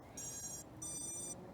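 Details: 8-inch FPV drone right after save and reboot with P gains raised to 75: two short high-pitched beep bursts from the motors, the normal startup chime showing the drive is ready.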